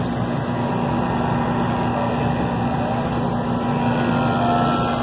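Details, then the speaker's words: Navac NP120M 12 CFM vacuum pump with gas ballast open, on Accu-tools TruBlu hoses, evacuating a flat refrigerated warehouse freezer system after a Copeland 6D compressor burnout changeout; mic close; even, quiet low hum, no rattles. Normal running. "That's a quiet pump. Very nice pump."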